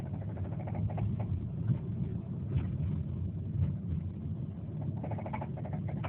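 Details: 2007 Subaru Forester XT running with uneven knocks coming and going in short bursts; no check engine light or smoke, car began vibrating a lot; owner suspects rod knock but the intermittency leaves the cause unconfirmed.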